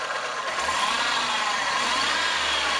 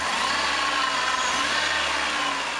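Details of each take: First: VW Polo after replacing the V and Poly V (6PK1153) alternator belts, revved in the engine bay: smooth even whir with no squeal, chirp, vibration or slipping from the belts; normal. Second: VW Polo at idle during alternator belt replacement, after a right-front engine noise on the highway: steady rough growl from belt-driven accessories; worn A/C compressor bearing needing eventual replacement.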